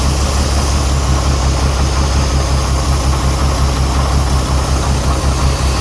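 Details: Renix Jeep Cherokee engine at idle with an uneven, loping pulse about three beats a second and a stumbling exhaust beat. Cylinder 6 misfires because its exhaust valve rocker moves less than the others. Backing off the rocker bolt cured the miss but left a valve tick.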